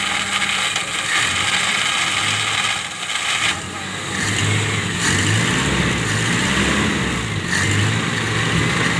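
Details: Toyota Kijang carburetted petrol engine that would not start, running again after ignition fault found (burnt coil): steady, even idle with smooth low beat, no misses; normal idle.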